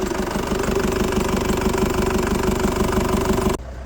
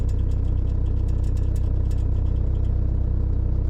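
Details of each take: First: Motorhome van diesel, first start after a cylinder head rebuild and fuel line bleeding. It idles at an even clatter, about three beats a second, with no tapping valves, but a bit smoky, possibly oil burning off: smoky running after head rebuild. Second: Motorhome van diesel after its injection timing was advanced at the pulley. It starts immediately and idles with a steady, even clatter with no stumbles or misfire, no white smoke and a bit of black smoke: normal idle.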